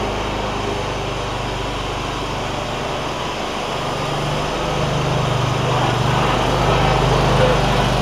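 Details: John Deere ZTrak Z915E, Kohler V-twin, sat 2 years; running warm after carb clean fixed a sticky solenoid causing no fuel. Steady, even beat, oak leaf debris hitting the cooling fan; normal running.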